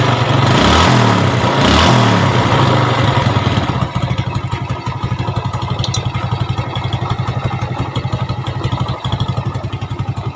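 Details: Yamaha Jupiter Z after rebuild with new valve seals (had burnt oil, fouling plugs): even single-cylinder putter after a brief rev, settling into a steady, healthy idle; slight clutch roughness remains.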